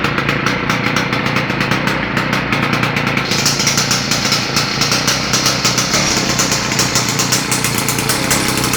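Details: Victa small engine being modified for kart use, start-up after fueling: rapid crisp firing at a steady fast rate, loud and raw but even, no misses; running fine.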